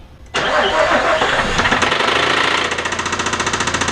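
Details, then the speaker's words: 2006 Nissan Frontier due for engine replacement: right after start-up a steady knock, about three to four beats a second, from low in the engine; owner suspects bad rod, crank or cam bearings, unconfirmed. "you can hear a knocking from the wall can hear that noise I don't know where coming from"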